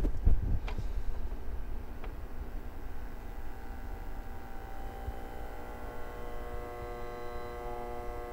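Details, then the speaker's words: Carver MXR2000 magnetic field amplifier, mic close to the power transformer, amp driven with a 1 kHz sine wave: low steady hum that quiets and swells, with a faint singing tone at 1 kHz as the amp is pushed; normal transformer noise under load. "and you can hear there certain parts where that actually quiets down in actual parts where it gets louder and then parts where you can actually hear it singing at the same frequency as the 1 kilohertz sine wave that I'm putting into the amp"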